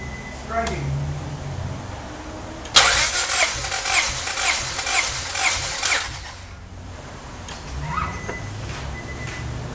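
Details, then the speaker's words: 1995 Honda Del Sol B16 VTEC with JUN 1.8L stroker kit, compression test on cylinder 1 (about 208 psi; others 225, 195, 208): starter cranks about 3.5 seconds with even regular compression pulses, no firing; good compression. "That's good. Okay, that's pretty good, yeah? You wanna check all of them? Yeah, absolutely. So cylinder 1 was at just a shade under 210 pounds."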